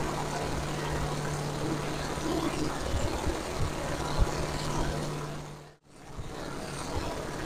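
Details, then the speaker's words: Camshaft break-in at about 2000 rpm, hot, near halfway of a 20-minute run, outdoors: steady, even hum with no knocks or ticks; engine sounds great, coolant circulating, carburetor and ignition fine, rear main seal dry, only a known water pump leak. "Uh, engine sounds great. Coolant circulating. Carburetor's fine. Ignition's fine."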